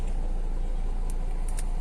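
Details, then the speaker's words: Hyundai Verna 1.6 diesel that cranked but wouldn't start (P1693 immobilizer transponder error), now started, the fault being a key problem: steady low diesel clatter, even idle, no misses; normal idle. "गाड़ी हो गई start यह किस गाड़ी start हो जा रही है इसका फाइनल की का प्रॉब्लम था"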